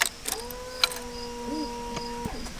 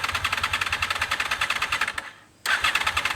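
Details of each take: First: Honda VFR Gen 5 sat in a barn nearly a decade, new battery fitted: steady electric hum after key-on for about two seconds, then stops; fuel pump priming normally. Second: Gen 5 Honda VFR with low mileage, sat in a barn for almost a decade, new battery at 12.6 V, cold start: rough, lumpy cranking bursts with uneven firing that die out twice; suspected running on only one cylinder, with clogged injectors possible.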